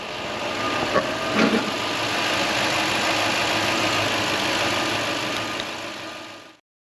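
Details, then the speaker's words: Toyota Land Cruiser 4.7 after starter replacement that fixed a strange noise on starting: smooth, even idle with a steady hum, no grinding or whirring from the starter; normal after repair. "well guys that was it it's all installed running not making any noise just another repair on this Old Land Cruiser"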